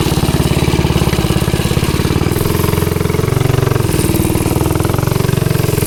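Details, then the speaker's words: Ghost engine on the "Green Ghost" mini bike, test ride after trying to fix kickback and hard pull-start: fast, even firing rising and falling with throttle, strong beat, no knocks or misses; sounds good. "We'll see what she can do. She sounds good. She sounds really good."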